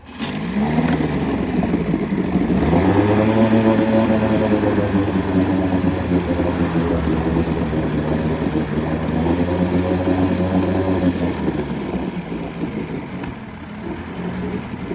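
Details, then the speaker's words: Likely 1980s Mercury 7.5 hp long-shaft two-stroke outboard, primed with water supplied, first run in 20–30 years: buzzy note climbs and settles smoothly on throttle blips, firing evenly, running healthy. "it's pretty hard to argue with that first like 15 seconds of run time in 20 25 years"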